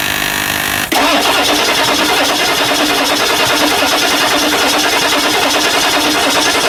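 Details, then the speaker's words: 1999 Ford F350 7.3L diesel just after injector cup replacement and slight hydrolock from oil, turned by hand: cranking catches into loud, uneven clatter with heavy smoke; running rough after hard start until it clears. "holy poop did you get that yeah nice so the smoke coming out let that run till it clears up"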